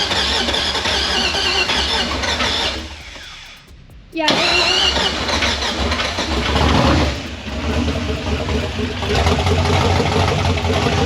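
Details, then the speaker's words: LS V8 with open headers, running with no tune and bad injector data after the old tune was deleted: catches after a short crank into an uneven, lumpy, popping run; misfiring on several cylinders, needs tuning. "Oh my god, it started though. Oh, it started, but it sounds like crap. We gotta tune it."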